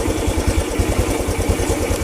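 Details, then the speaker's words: Honda Revo single-cylinder motorcycle with healthy charging system: steady, even low putter about five pulses a second, no misfire or stumble; stays running with connector unplugged, unlike the earlier faulty kiprok condition. "ini kondisi motor normal kalau yang awal tadi Itu motornya nggak normal karena connectornya ini ketika dilepas motor jadi mati ya"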